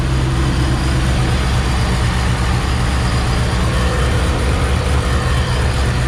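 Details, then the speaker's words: Ford GT500 with 2.5 pulley and updated tune, after new spark plugs, cold start through stock mufflers: deep, even V8 burble, slightly lumpy as it warms, nothing out of place; healthy idle. "Waring up so just chopping a little light but hell yeah good stuff pretty happy with that"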